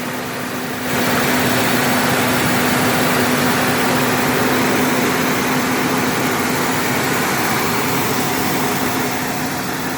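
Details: 1998 Ford Ranger first start after fuel pump replacement, brief throttle blip then smooth, steady hum with no misses or stumbles; healthy idle.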